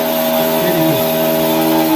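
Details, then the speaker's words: Lavamac washing machine motor run unloaded with the belt removed: steady droning hum with fixed tones from a worn motor bearing, not the drum bearing. "य जो sound आ रहा है य motor में आ रहा है motor का जो बरिंग है वो प्रॉब्लम हो रहा है"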